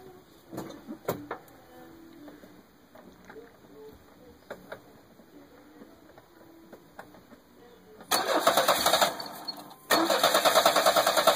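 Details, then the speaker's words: Petrol engine cranks, catches and holds a fast, loud high idle from a large vacuum leak deliberately created at a vacuum line port. "this vacuum line which goes around here and goes back to here I'm just plugging this port right now this should cause this thing to go to a high idle immediately upon start"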